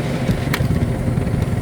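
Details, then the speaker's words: Cornelius nugget ice machine with a Flavor Fusion dispenser: the bin is overfilled, so the agitator slows and the dispense motor labors with a low, lumpy grinding drone and delayed ice drop. The fix is an ice bin extension kit. "Hear how it's kind of grinding. That wheel, the agitator is just slowing down. That motor is really struggling, and you can see it's not dropping ice like, you know, straight down."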